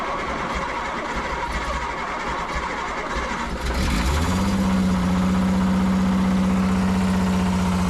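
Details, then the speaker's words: Prewar Austin/Crosley single-seater race car engine, freshly rewired with a new fuel filter adapter: it fires to an even idle with regular tapping. Loose torque converter bolts are suspected; it is thought not bottom end or pistons because the knock goes away when revved. "I've got to check the torque converter bolts. Our railway is not bottom end and it's not pistons because it goes away when you rub it."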